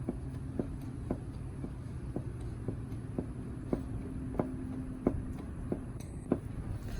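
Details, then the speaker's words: Yazoo MidMax 52 mower deck with cheap aftermarket spindles and homemade spacers: sharp, even ticks about twice a second over a hum, from play in the loose spindle bearings. "But I don't know. You hear the looseness in the bearings?"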